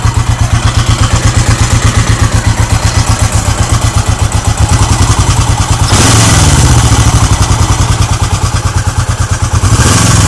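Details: Lexus GS400 at lumpy idle with a heavy, uneven clunk riding on the firing beat, then a brief rev blip; source not obvious.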